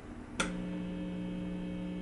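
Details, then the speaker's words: Marshall Valvestate 80V amp idling at volume one with a single-coil guitar pickup: a click, then a steady low buzz of 60-cycle mains hum picked up by the single coil. The hum is masked while playing. "so with a single coil it's picking up a lot of the hum it's a 60 cycle hum there's nothing you can do about it but while you're playing you don't hear the hum you only hear the note"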